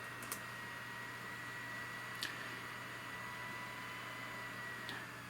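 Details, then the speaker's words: Sony VAIO PCG-R505TS Pentium III sub-notebook running on its dock: a steady, soft, airy whoosh with a faint high whine and no rattle or grinding. The cooling fan sounds healthy. "the fan sounds healthy"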